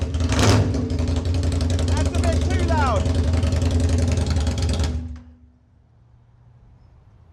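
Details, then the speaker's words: Aprilia Tuono 1000R V2 (second generation) with Rotax V-twin, first start after purchase, fresh battery, running without a muffler: very loud open-pipe lumpy idle with a couple of quick blips; runs healthy. "Yeah, this is why we have mufflers on our motorcycles, to stop ourselves going deaf."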